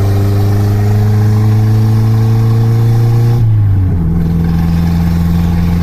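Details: Toyota Carina after engine rebuild and new head gasket, after reassembly: steady, even engine note with a brief rev dip midway and no knocking or misfire; the engine runs healthy.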